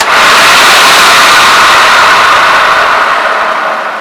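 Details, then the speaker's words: Late-1980s Hoover Turbolite U4527 upright vacuum, first run after unboxing, brush roll due for replacement: steady airy motor roar with the brush spinning evenly, no rubbing or rattle, then a smooth wind-down; runs as it should. "Well, that sounds okay. The motor sounds okay."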